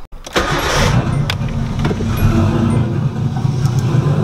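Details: Nissan 240SX turbo setup with LS coils, powered by a jump boost pack: steady rhythmic cranking with a low churning pulse, engine never catches; crank no start.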